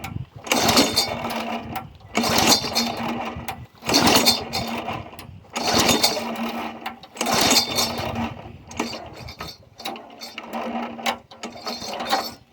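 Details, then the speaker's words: Yard Machine 22-inch push mower, Briggs & Stratton 4.5 hp engine (2007), primed after cleaning. Repeated pull-cord cranks about every two seconds, each a brief whirring rasp that never catches; has compression. Spark plug found soaked; owner suspects water entered the cylinder while tipped up, possibly too much oil. "Okay, back in the shop or basement from trying to start it, and this plug is soaked. It's not fresh gas. It don't really have a smell to it. I think a bunch of water ran into the cylinder while we had it tipped up from somewhere."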